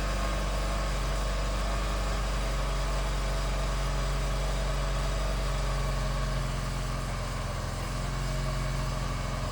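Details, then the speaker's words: BMW R1200C boxer twin at idle, just after fuel pump replacement and refueling, started first time: steady even low burble with no misses or stumbles, idling smoothly, no leaks. "Well, that start up was way better than I was expecting. I thought it was going to have a bit of a battle on my hands."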